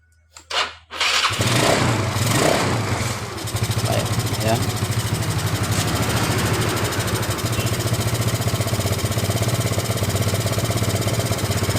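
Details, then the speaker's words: Yamaha Mio Sporty scooter with total electrical failure (no speedo light, no horn), traced to a faulty ignition key switch socket wire connection, repaired; fed from a makeshift bottle tank; brief crank, catches at once, quick even putter. Normal start and idle. "Mari kita coba hidupkan kita sudah bisa hidup ya teman-teman ya di kontaknya"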